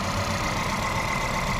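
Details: Volkswagen Polo/Vento with code P030100, a cylinder 1 misfire, that misfires at 50–70 km/h with the engine and EPC lights on; lumpy, stumbling idle as one cylinder drops out; the cylinder 1 injector wire shows no pulse while the plug lead has current.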